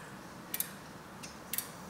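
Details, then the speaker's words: Bicycle wheel spun in a truing setup with a cable-tie gauge on the chainstay, after tightening spokes half a turn. Light tick about once a second as the rim, pulled toward the tightened side, chafes the gauge all the way around. "see it was hitting it was uh chafing the whole way here after truing it so the rim was actually pulled in my direction because we tightened spokes on this side"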